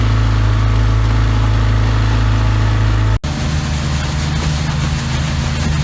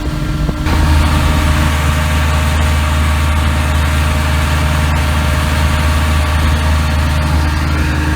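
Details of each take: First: 33 HP Evinrude Ski Twin electric-start outboard before carburetor adjustment: at full throttle a low, dull, uneven drone that never climbs to proper revs; high-speed needle set wrong, later set 3/4 turn out from snug. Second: 33 HP Evinrude Ski Twin outboard after carburetor adjustment, high-speed needle 3/4 turn and low-speed 1.5 turns out: steady, even low drone holding one pitch, no misses or surging; running clean at high speed.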